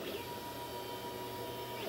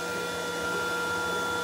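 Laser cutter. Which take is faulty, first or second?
second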